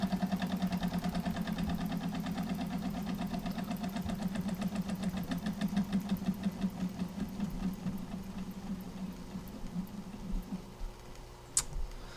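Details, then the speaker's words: Jensen 76 model steam engine before repair, after two years in storage, with a broken window seal. Quick chuffing at about three beats a second fades, slows and stops as water and fuel spray out and the flame keeps going out: stalling from the leaking seal. "It started spraying water out the front and spraying the fuel out, so the fuel kept going out and turning it off."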